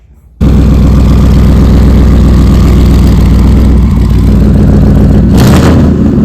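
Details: Ford F100 build with a turbo engine, first start after a coolant fix and repair of an oil-feed line leak to the turbos: catches almost instantly and settles into a loud, deep, steady idle with no knocks or misses.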